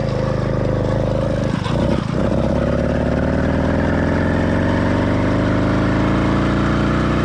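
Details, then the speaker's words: Cheap single-speed motorized bicycle kit two-stroke engine with single-circuit carburetor at half choke to simulate an excessively rich mix: uneven, lumpy beat that stumbles and nearly dies, sluggish acceleration, rough running and vibration; four-stroking from rich mixture. "in the next few Clips I'm going to apply about half choke on the carburetor to simulate an excessively Rich mix where the motor is getting way too much fuel and or not enough air"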